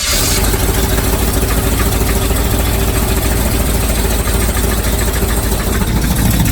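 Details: 1978 Chevy with an abused mid-70s 350 V8, oil unchanged for an estimated 20,000-30,000 miles and only about 1.5 quarts of sludge left: heavy rumble with a hard, steady knock about three times a second; timing nearly dead-on, source unconfirmed.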